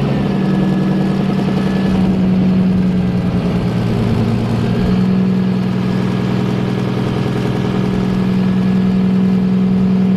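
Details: Nissan S13 engine started after oil change, fuel filter change and re-tightening the leaking downpipe V-band; catches and settles into a steady, even low idle with no ticking or exhaust puffing, sounds healthy.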